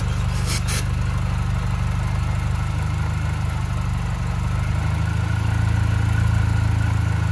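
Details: 2006 Mini Cooper S JCW (Gen 1), about 70k miles, codes P1688 and P0107: a short spray hiss while the engine idles, then the note shifts and climbs slightly as the vacuum leak near the brake booster draws in flammable spray.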